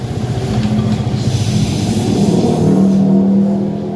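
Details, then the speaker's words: Yamaha New Vixion R showing an Er-1 error code: uneven idle, then it bogs and dies as soon as first gear goes in. The ECU, wiring, or dashboard/speedometer are suspected; cause not confirmed. "Nó chết máy ở đây."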